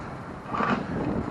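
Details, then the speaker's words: Traxxas Rustler 2WD RC car converted to a 2S monster with posi-traction: grinding, clicking rattle from the transmission while driven, with the rear end locking and sliding; internals shot, upgrade to a Mod1 transmission planned. "All right, guys. Yeah, that situation with the transmission. You all heard that grinding, clicking sound. I wanted you guys to hear that. That definitely lets you know."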